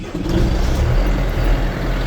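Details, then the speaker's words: John Deere 6005R-series diesel tractor starting after an oil, oil filter and fuel filter change, new filter pre-filled with diesel: fires straight away and settles into a steady, even low rumble, no hunting or stumble; healthy idle, no leaks. "There we go. And there's no leaks, so that's good."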